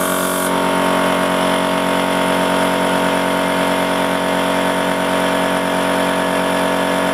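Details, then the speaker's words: Goodyear 20-gallon oilless air compressor after its burnt 1.5 HP motor was replaced with a separately mounted motor: steady hum and even pump chatter at constant speed with no labouring; runs smoothly, though the pump head still runs very hot. "all right this time uh Works a whole lot better now"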